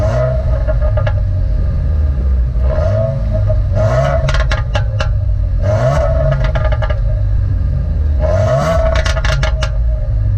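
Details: 2015 Subaru WRX, stock exhaust: revs rise and fall repeatedly and each lift-off brings sharp crackles and pops from the exhaust; normal overrun crackle, the car "backfires" per owner.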